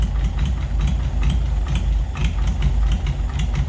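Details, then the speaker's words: 1940s Oliver 70 tractor, first start in about 12 years: heavy uneven idle with stumbling beat and occasional thumps and smoke puffs as one non-firing cylinder drops in and out; slight rod knock also noted, oil pressure okay. "and if that misfire was fixed it would actually be a pretty smooth run in uh [Music] engine"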